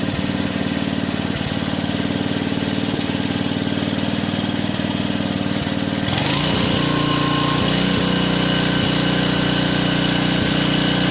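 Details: 1986 Troy-Bilt Horse 2412 rear-tine tiller after tine/PTO re-grease and transmission fluid fill: steady, even single-cylinder putter that picks up smoothly as the tines engage and load comes on; runs clean and healthy.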